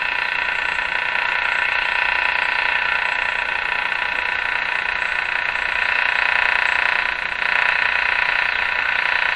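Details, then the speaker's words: 1935 Rogers 7R622 tube radio on AM with the burned, shorted antenna transformer bypassed: steady hiss, very weak reception, and rapid ignition-like clicking about three per second that comes and goes randomly from an unknown source. "very weak so there's a number of interferences there and i've gotten familiar with the sounds of them one is that rapid clicking sounds like engine ignition noise comes from a source i don't know what comes and goes randomly"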